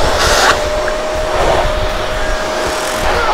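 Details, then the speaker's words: Panasonic MC-CG524 vacuum cleaner, tested after disassembly to fix a stuck cord roller: a steady airy rush with a constant mid-pitched motor tone as the nozzle moves over the floor, working properly, with the indicator light showing normal operation. "Well, the vacuum cleaner works properly again The vacuum works properly."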